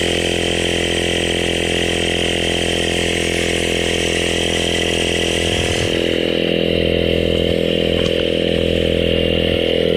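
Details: CYCPLUS AL7 cordless tire inflator with active cooling, bicycle mode set to 40 psi, inflating a tire: steady fast buzzing pump chatter at even speed, no knocks or stalls; normal running.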